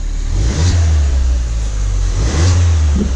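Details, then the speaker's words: Crashed Ford Fiesta ST on axle stands in third gear, given two quick revs; deep exhaust rising and falling cleanly with a faint turbo whistle from the exhaust; normal revving. "Oh, the exhaust sounds nice. I forgot about that. With the sport car, that sounds a bit better."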